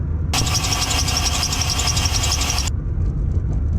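Over a low engine rumble, a harsh, hissy grinding with a fast high chirp comes from the idler pulley.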